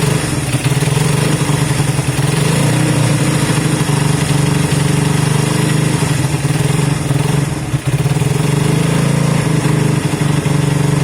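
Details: Honda CB200 twin first started after sitting many months, following air filter work and running fuel through; steady, even idle with a firm low beat, no knocks or misses. Normal idle.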